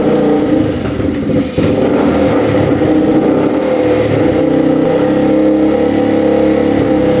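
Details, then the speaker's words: Rough 4x4 ATV sitting for years, first start after siphoning old gas: single-cylinder revs rise and sag, hunting, running only on partial choke and dying off it; owner suspects lean mixture, fuel screw to go out, float height fine. "So it looks like it's running good with the choke on, partially. As soon as I turn the choke off, it kind of sputters and dies, so I'm thinking it's not getting enough fuel."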